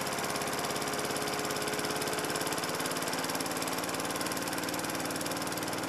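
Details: Lawn mower single-cylinder engine converted from petrol to LPG/propane (BBQ gas), fuel line into carburettor inlet, primer bulb sealed; runs with an even, steady beat at constant speed, no misses or surging, cleaner with no smelly fumes.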